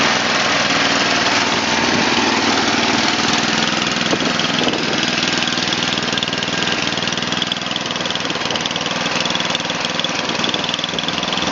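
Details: Murray Select 29-inch snowblower (about 2004–2006) with 11 hp Tecumseh Snow King engine, cold start at about 0 to -2 °C; old oil was black tar. It holds a steady, even idle of about four beats a second with no misses.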